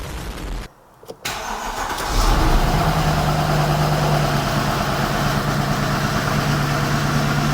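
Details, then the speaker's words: Mercedes W204 C63 M156 V8 first start after cylinder head rebuild for camshaft wear, fires straight away and settles to steady even idle, slight tapping expected as tappets fill; normal start and idle. "well that's a good start fir up straight away we are going to get a bit of tapping from the engine as the tapet fill up"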